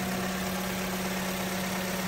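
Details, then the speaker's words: Vauxhall Corsa with a P0171 lean code, just after replacing the PCV purge control valve: steady, even idle with a low hum, no stumble and no engine shake, sounding healthier than before. Normal idle. "Hear it purr. And as you can see, there's no shake on the engine whatsoever."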